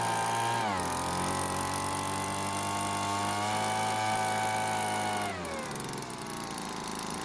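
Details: Cheap small two-stroke leaf blower that wouldn't start, at full throttle during H-screw tuning: high steady scream holding speed, dropping slightly as the mixture is backed off; runs clean and even.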